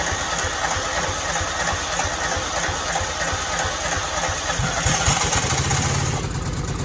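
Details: Cub Cadet 2166, 16hp Kohler Command single-cylinder, after brake switch activator fix, primed, low tank tipped: fairly even single-cylinder thump, a bit of rattle, no misses or stumbles. Normal running.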